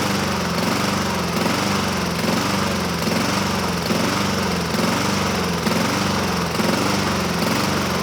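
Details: 2007 Honda HRR2162SDA Quadra Cut mower, after a stuck-open intake valve was fixed, started on choke but surges: engine speed rises and falls about once a second, hunting. Only about 80% right; owner may clean the carburetor again.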